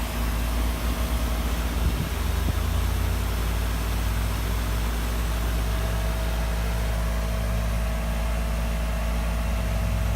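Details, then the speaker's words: 2003 Carrier 3.5-ton central AC, a few minutes into its first startup of 2018: steady, even low hum with no knocks or rattles; the compressor has smoothed out after starting rough, with air reading about 53 degrees. "It's starting to get cool. Oh, it sounds like it's smoothing out now."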